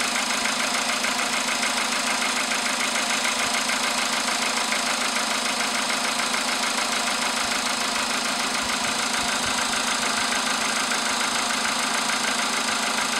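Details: VW Polo sedan with CFN engine, cold start in the morning after a night at about 10°C outside: a sharp, regular ticking knock about two per second over the idle hum; engine knock, source not pinned down.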